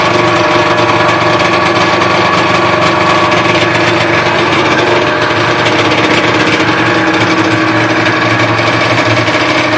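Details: 1976 Rupp Nitro 340 first start after full top and bottom end rebuild with new high-performance Wiseco ported pistons: crisp, buzzy two-stroke note running steadily with no knocks, misses or surging; clean and even.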